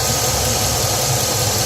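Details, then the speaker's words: Truck engine at idle, with a small exhaust leak at the catalytic converter: a light, quick ticking rides over the engine noise. This is ordinary fuel injector pulsing, not a fault; the valvetrain on these engines is also noisy. "might hear that little ticking sound your little ticking sound that's the injector"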